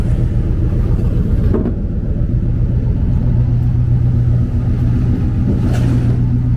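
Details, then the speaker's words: 1995 Impala SS with broken exhaust pipe, before welding: very loud deep raw rumble swelling with revs like open headers; exhaust leak. Owner also suspects alternator failing. "Y'all hear how loud it is? Man, it's so loud. Sounds like open headers."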